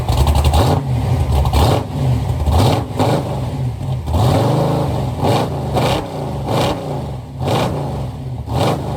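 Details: Chevy Nova V8 just after its carburetors were rebuilt, recorded toward the back of the car: a normal start and throttle blips, revs climbing and dropping cleanly with a strong thump of compression at idle; owner had assumed about 10:1 compression.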